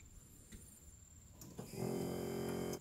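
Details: Truck with no A/C, newly installed blower motor and resistor: a brief click, then the fan spins up into a steady, even whir for about a second before it cuts off. The new blower runs normally.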